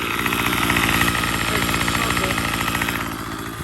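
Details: Troy-Bilt TB35 two-stroke trimmer after an aftermarket carburetor replacement and tuning: crisp, rapid buzz holding steady speed without stumbling or surging, running cleanly and evenly. Normal running.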